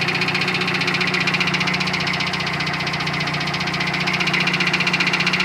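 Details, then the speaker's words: Built 400hp Subaru Outback XT on quick jacks, intermittent noise over 2000 miles: sharp even knock about 2.5 per second over steady engine; located away from the engine, owner suspects front diff, flex plate to be checked. "It's not rod knock. It's coming from my front diff. Is it the diff? It's coming from my front diff."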